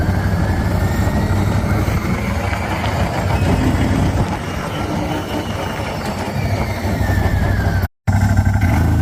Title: cforce 1000 suddenly started producing extra grinding sound when engine breaking